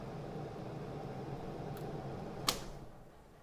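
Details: 2009–2011 Honda Civic cabin blower motor: steady airy hum of the fan running, then a sharp click and the whir fades as it stops when the blower relay or 40 A fuse in the under-hood box is pulled; normal blower motor operation.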